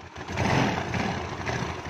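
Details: Yamaha Mio carbureted scooter engine just reassembled, plug fitted, valve cover off to check oil spray: even light single-cylinder idle, no knocks or rattles, oil passages confirmed good; normal idle.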